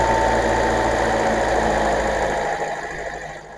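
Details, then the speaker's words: Brand-new Kia K4 with the hood up, baseline before Seafoam in the crankcase and fuel (a before/after injector sound test): steady, even idle with light fast injector ticking and no knock or misfire. Healthy engine. "Now that I got the hood lifted, let's see what an engine sounds like before."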